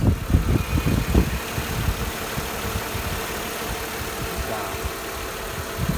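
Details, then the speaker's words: 2000 Mercedes E320 started after an oil change: a few rough bursts at start-up, then a steady, even low rumble at idle with no shake or miss; sounds much better than before and is no longer shaking. "So let's crank it up. It sounds way better. It's not shaking anymore at all."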